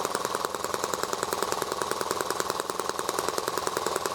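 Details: ET8 engine warmed up, hot restart after flooding, extra oil in cylinder and fuel: fast even buzzing that stays high at the smallest throttle opening; high idle speed.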